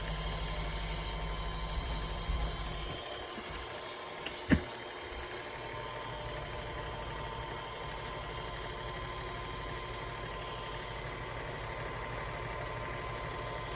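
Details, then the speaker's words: Kenmore Sensor Sew 70 (385.1950280) sewing machine, previously locked up, running after repair: steady even motor hum with no knocks, rattles or speed hunting; runs normally. "let's see let's up here let's turn on light came on I heard it come on see what happens so that's cool here it is running great"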